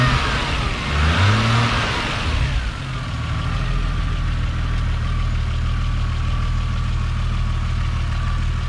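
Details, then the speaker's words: Toyota Supra Mk3 7M-GE turbo-converted (NA-T), after switching from distributor to 2JZ/IS300 coil ignition with stock 7M-GTE igniter; starter catches, settles into even steady idle with no misfire; starts fine, only the NA tach doesn't work. "up so it starts fine just like when it had a distributor the only thing is the tack doesn't work"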